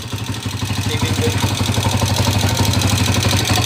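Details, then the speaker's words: Honda TMX 155 single with a 7.2 racing cam and 62 mm block, hard starting: steady light valve-train ticking about four times a second over the exhaust beat as revs build, caused by the high-lift cam. "Okay sa naka cam pala kaya malagitik yan 7.2 naka 7.2 cam"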